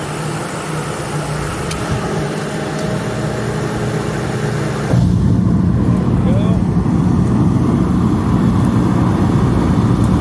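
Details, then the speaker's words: Master kerosene torpedo heater after an E1 shutdown repair, its wiring redone with twist caps, plugged in and lit. A steady low roar deepens and grows louder after about five seconds as it heats. Normal running. "go got to wait for it to get hot hot for the night Flames will stop coming out past the end"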